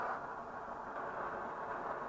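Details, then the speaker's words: Swedish Optimus 8R camping stove after the cap seal was replaced and it was cleaned out, boiling water; steady, even hissing roar at full flame with no sputtering or surging; normal burner roar. "Sucker is roaring. Called roarers because they make that noise."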